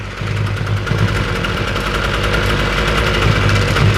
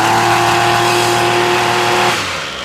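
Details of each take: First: Ryobi weedeater, small two-stroke, that previously only ran on half choke, after the carburettor was taken off and refitted and idle turned up slightly: settles into a steady, even idle with no stumbling or surging; runs clean and holds idle. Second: Ryobi weedeater that only runs on half choke, choke off: high buzzing tone, then suddenly sags and dies; won't idle, caused by a bad spark plug and stale fuel.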